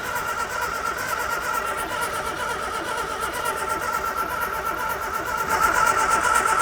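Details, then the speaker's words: Morris Minor barn find parked 21 years, choke on and ether added: the starter cranks at an even two-per-second rhythm but the engine never fires. "- I can't believe even with ether it's not doing anything."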